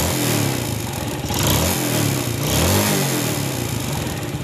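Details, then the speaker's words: Yamaha Vega ZR after swapping loose oversize-50 piston for sanded oversize-75: idling and blipped a few times, smooth and even with no piston slap or tapping; earlier knocking gone; normal idle. "Baiklah sobat semua Alhamdulillah suara ngeflek pada motor Vega ZR ini sudah tidak kedengaran karena sudah kita ganti piston nya yang lebih besar"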